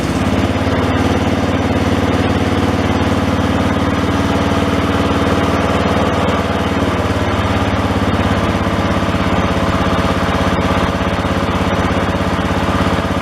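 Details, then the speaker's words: John Deere 111 single-cylinder engine after carburetor rebuild; mixture screw had been screwed all the way in; now starts and runs steady and even with no misses or surging; normal running. "it just started up and it just ran it's running a lot better now"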